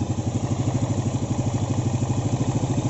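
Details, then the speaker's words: Yamaha Vega ZR rebuilt with standard Vario 125 piston (oversize 100 bore; Vario pistons chosen as more durable than stock Vega ZR pistons, which wear and knock), restarted after rebuild: starts easily, even steady low single-cylinder thump, no knocks; normal smooth idle. "Coba kita tes lagi hidup anda Hi Ho Hai hidupnya gampang terus suaranya juga halus"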